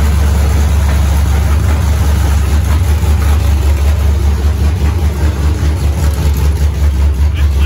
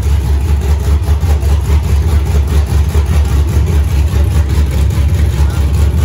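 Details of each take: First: Freshly built 5.3 LS V8, first start on open headers with an aftermarket 90mm throttle body and a larger camshaft: loud idle hunting and surging about once a second. TPS reading drops from 12 to 0.5, IAC position 170–200, likely needs 60–70. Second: Freshly built 5.3 LS V8 first start with open headers and aftermarket 90 mm throttle body: loud lumpy even idle, no misses; normal idle.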